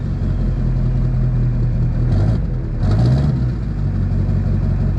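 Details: Duramax diesel after stainless steel exhaust up-pipe installation: deep steady idle with one quick blip near three seconds, smooth and even, no ticking or exhaust puffing; healthy.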